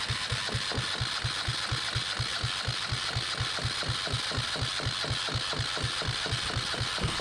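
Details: Yanmar 1GM single-cylinder marine diesel from a sailboat, throttle opened: steady cranking at about two compression beats a second, never catches; cranks, no start.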